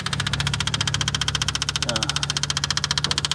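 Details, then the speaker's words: 1979 GMC Caballero abandoned 8 years: even starter cranking at about four compressions a second with no firing; owner suspects it isn't pulling fuel, later finds fuel dumping into intake and fears hydrolock — cranks but won't start. "He He wants to hear it run. It's not pulling fuel again. I can hear it. It's not pulling fuel."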